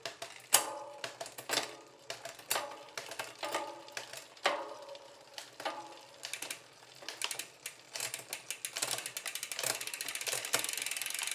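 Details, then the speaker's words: Road bike rear derailleur after barrel-adjuster alignment to the second cog, indexing matched to the shifter: crisp separate shift clicks, then quicker freewheel ticking with no rubbing or chatter, the earlier ticking gone, clean indexed rear shifting. "at some point you'll hear that ticking sound go away and so now we're aligned and because the indexing of the shifter is matched to the indexing of the derailer"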